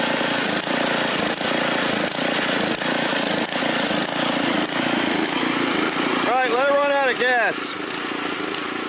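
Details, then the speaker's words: Mastercraft (Lawn Chief) rototiller, old Briggs 5 hp OHV engine, previously rebuilt. It chugs with an uneven, hesitating beat and occasional stumbles, and needs a little choke to keep running. "And it did stumble. It's not running 100%, but it ran okay. I had to put a little choke on uh to keep her going"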